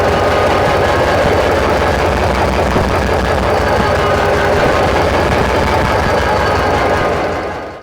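Loud, heavy diesel running with rough, uneven chuffing around three a second as each injector is popped in turn.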